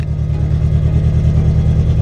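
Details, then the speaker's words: Datsun 620 with a KA24 engine swap on Speeduino ECU, first drive, coolant temperature fine: low, smooth, even drone while driving with no stumble or knock; the engine is running fine. "good it's running fine"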